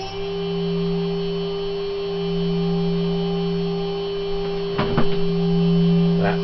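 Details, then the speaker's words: Steady, clean high whine from a higher-quality 3 kW water-cooled Chinese CNC spindle with better bearings at full speed, 24,000 RPM; a healthy, quiet motor. "so starting with the spindle on the right I will increase its speed in 6,000 RPM increments to 24,000 RPM"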